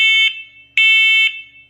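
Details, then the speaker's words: First Alert 10-year smoke and carbon monoxide talking alarm, 85 dB, test button pressed: two loud, shrill beeps with voice warnings to evacuate for smoke and carbon monoxide, reporting 0 ppm peak CO; alarm tests normally. "Testing. Warning. Evacuate. Smoke evacuate. Carbon monoxide evacuate. Highest carbon monoxide level was 0 ppm. By the way, the loudness was 85 decibel."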